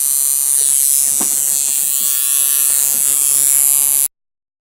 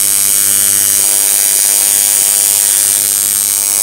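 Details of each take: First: Coil tattoo machine driven by an electronic pulse generator at 46% duty cycle, its best setting: smooth, even high-pitched buzz with no stutter or dropouts; running cleanly. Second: Coil tattoo machine driven by an electronic pulse generator at 100 Hz, duty cycle raised to about 40%: fast, thin buzz with an uneven, faltering edge as running decays from too high a duty cycle.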